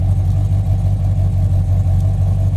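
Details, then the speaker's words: Slightly modified, near-stock engine, idle set at 650 rpm: deep steady low rumble at slow idle, no misses or knocks; runs smoothly, healthy idle. "The idle's dropped down. I have the idle set at 650. I mean, this engine runs so smooth it can idle at 600 probably."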